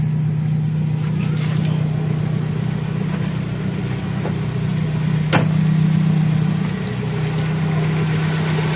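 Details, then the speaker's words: Toyota 4A-FE engine with rough idle, low power, unstable rpm and low fuel pressure complaints; cold start fast idle holds as an even, steady raised drone without stumbling or hunting. Normal cold start fast idle. "So okay siya nagkaroon siya ng cool start mamaya titingan natin kung ilang minuto"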